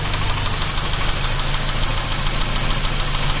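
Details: 1986 Porsche 944 Turbo at steady idle, sharp regular tapping about three per second over engine hum; owner unsure whether lifter noise or rod knock, cause not confirmed.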